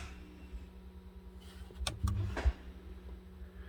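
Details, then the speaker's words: 2003 Chevrolet Silverado 2500HD 4x4, after cycling the transfer case control module connections restored 4x4: over a low steady hum, soft clunks as the transfer case shifts and the front axle actuator engages normally. "you can hear it shifting i can hear the front axle actuator engaging"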